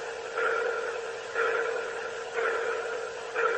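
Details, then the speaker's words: Boeing Starliner spacecraft, heard through the cabin speaker and relayed from the station: a steady mid-pitched ping pulsing about once a second, each burst swelling then fading, like sonar. Origin unexplained. "it was kind of like a pulsing noise almost like a sonar ping"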